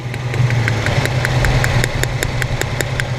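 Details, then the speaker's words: 1997 Honda Civic EX, D16Y8 VTEC, sat a while, cylinder 2 misfire despite new plugs and meter-tested good wires; lumpy uneven idle with sharp clicks about five a second from an open plug wire, plug pulled, running on fewer cylinders, rough. "brand new spark plugs still have a cylinder sorry cylinder 2 misfire uh tested the spark plug wires with a meter and they all said they were good"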